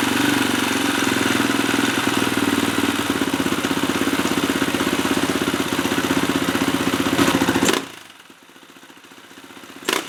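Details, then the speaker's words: 2004 KTM 450 EXC, sat 6 years, after Keihin carb rebuild, started on choke in two kicks: steady, even single-cylinder thump at fast idle, then clean shutoff; coolant was low; normal idle. "All right, that sounds pretty good to me. What was that? Two kicks?"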